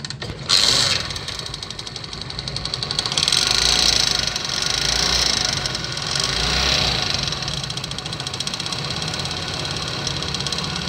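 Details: Honda CD70 single-cylinder motorcycle at idle before repair: light, fast metallic chatter, several ticks a second, timing chain noise; tensioner rubber found broken and replaced.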